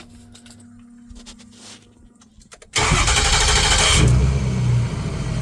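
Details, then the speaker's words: 2006 Ford F-350 6.0 Powerstroke diesel, rebuilt engine, after replacing a blown O-ring, at full operating temperature after test drive: brief crank then instant catch into strong, even idle; hot start now fine. "Starts right up. And that's a win for me."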